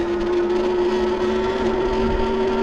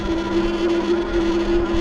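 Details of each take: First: Wallke H9 AWD e-bike (2025 version or 2023 version, uncertain), riding at about 9 under throttle after a brief throttle blip cleared front-motor chattering: steady mid-pitched whine as the front hub motor pulls smoothly, no chatter or grinding; normal hub motor whine. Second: 2025 Wallke H9 AWD e-bike climbing a hill from a dead stop in pedal assist 5, seventh gear, about 9 mph: steady electric whir with a fine rapid flutter from the front hub motor chattering under load; a quick throttle blip stops it.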